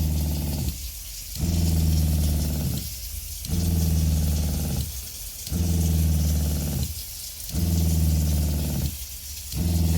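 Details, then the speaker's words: RV water pump as it comes from the factory, running with the tap on; loud low buzzing drone cycling about every two seconds, vibration carried through rigid plumbing, before fitting vinyl tubes. "i'm going to turn on the water now so you can hear how loud the water pump is this is the way it comes from the factory"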